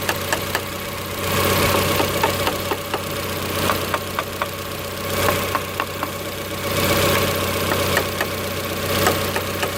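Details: 1990 Honda Accord, customer complains idle goes up and down when warm; idle slightly high, check engine bulb removed: warm idle swells and falls every couple of seconds with light ticking over it; idle surge, cause not confirmed.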